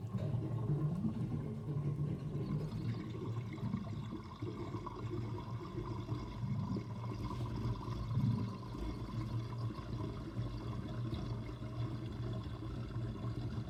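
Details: Kitchen sink draining with overflow covered: water rushing down with irregular low glugs and bubbling throughout; gurgling drain, possibly poor venting, cause not confirmed.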